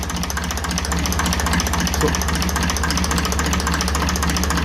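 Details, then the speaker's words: 1954 Ferguson 20 TEF diesel at tickover while adjusting the tickover on the diesel pump; backing it off caused hunting, so it was screwed in. Slow, even thump about 3.5 beats/s, holding steady; correct setting found. "Adjust it in a little bit. A little bit up and down still. About there is right."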